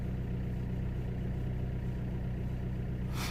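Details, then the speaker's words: Vauxhall/Opel Corsa D 1.3 CDTi diesel, after repair: came in misfiring (P0204, non-original injector); fault traced to two failed resistors, apparently kept going by water. Now smooth, steady idle with even low clatter, no misfires, brief hiss near end. "But look, it's running perfect so far."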